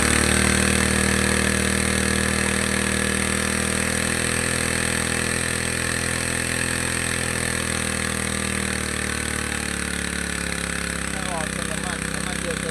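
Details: Two-stroke grass trimmer that stumbled on acceleration, carburetor cleaned and reassembled, mixture screw being tuned (counterclockwise richer, clockwise leaner) to find peak revs then backed off; high buzzy drone whose pitch shifts and settles; speed change during mixture adjustment.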